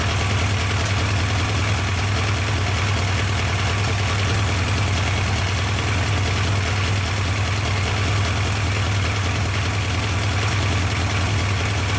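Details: Yamaha FJ 1200 café racer four-cylinder, restarted with fuel pump running, during carburettor synchronisation: steady, even idle with a low, regular beat and no misses or knocks; settled and healthy.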